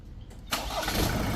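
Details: Ford 2.0 Bi-turbo at 150,000 km, started after fitting repaired injectors and updating the TCM and PCM software. Quiet, then it fires instantly and goes straight to a steady, even idle with no stumble; clean, healthy start.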